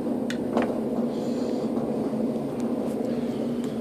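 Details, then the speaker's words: Graco paint sprayer pump motor, recently serviced, powered with direct lead: steady low electric hum, motor locked and not turning, something stuck inside; complete motor failure, needs new motor. "as you can hear it's trying to force itself to move and there's just something stuck inside of there it's beyond my understanding of what causes this but I do know this that's not normal and it's you know this thing is gonna need a new motor"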